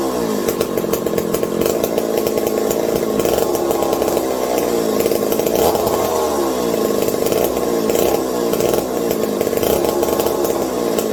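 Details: McCulloch 740 chainsaw after coil gap fix and swapped spark plug: revs smooth and strong with crisp even buzz, no misfire or bogging; healthy running. Owner hopes no air leaks; loose carb linkage wants to hold about quarter throttle and may run lean.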